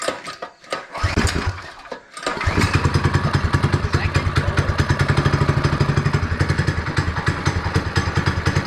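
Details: Chinese ATV quad with Predator 212 engine swap, temporary fuel line to carburetor plus vent line, in a barn: after a couple of cranking tries the single-cylinder catches and settles to a steady even putter, no knocks; runs.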